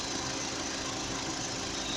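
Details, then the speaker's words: VW Gol/Voyage G6 idling. It had a cricket-like chirp that a belt replacement did not cure; the AC compressor is six months old. Holding the AC hose still stops the chirp, leaving an even, steady idle with no chirp. "Vou segurar, acabou o barulho, acabou o"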